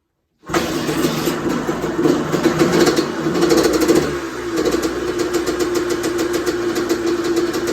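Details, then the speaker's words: Honda CR125R two-stroke, first start after winter teardown and top-end rebuild: fires at once into a crisp, even crackle that picks up cleanly with throttle and settles back; normal running. "I'm happy with that. Holy shit. Fuck, that feels good."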